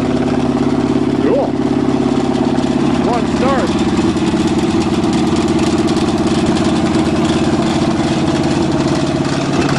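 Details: Cheviac demo-derby car, cold start on choke at 2 degrees above zero after fuel-line work: rough cold idle with fast steady plastic ticking about three per second as fan blades strike the radiator shroud after too many demo derbies; two fouled plugs.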